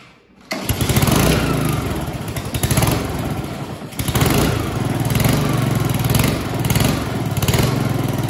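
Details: Honda HRX217 mower with the blade clutch disengaged, after greasing the rear-wheel keys, ratchets and springs: catches on the first pull and settles into a steady, even putter with no misses or knocks; normal running.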